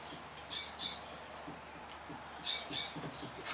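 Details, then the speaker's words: 2005 Chevy Equinox, front strut: faint high squeaky creaks in bursts each time the front is bounced down, also heard over small bumps and road lines while driving; noise traced toward the top strut mount; front strut creak, struts replaced. "the complaint is a noise in the front end and it sounds like something's in this front struck whenever you hit a little bump or a line in the road or something you hear it"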